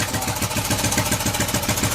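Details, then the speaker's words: 41-year-old imported Honda XL125S single-cylinder, previously unrun, started first kick on choke; steady, even idle thump with no knocking or missing, ticking over cleanly. "Wow. That's ticking over. Sweet. You holding it, just keeping it going."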